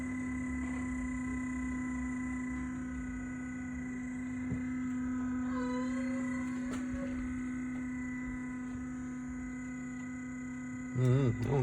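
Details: 2013 Nissan Altima, engine shut off, lights still on: steady, even electrical hum under the hood on the driver side, later stopping; source unknown, cooling system doubted.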